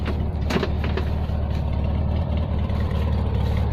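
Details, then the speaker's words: Restored 1971 VW Beetle automatic with rebuilt engine built as a 1700 and 30,000 miles showing, at idle: steady, even low putter from the air-cooled flat-four with no knocks or misses; the engine runs quite well. "As you can hear, the engine's running quite well."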